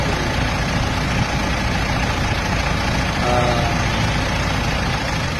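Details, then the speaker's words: Mitsubishi Montero diesel with unsuitable Hyundai engine oil: rough, shaky idle with a thin metallic scraping chatter; fixed by an oil change, noise and vibration gone. "hindi ko po sunada yung tunog ng chain mo maaling ngas hindi ganyan ang sounds niya aun nga talo ka pa ng ano starx talo ka pa ng Honda parang may metal na kumakayod"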